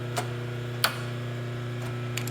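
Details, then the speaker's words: Rosback 250C/318 three-knife trimmer: steady machine hum with a few sharp separate clicks as the slip clutch is turned, stopping at certain marks; normal indexing, designed to slip and click on paper jams. "you can hear it clicking see how it stops at certain marks"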